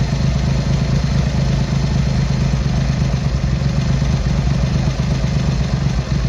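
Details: Triumph Hurricane X75 triple, not fully warmed up, after carb rack rebuild, pilot screws richened and left carb adjustment corrected: steady, even low idle with regular pulse, no misfire gaps; running better, slightly rich with dark smoke off idle.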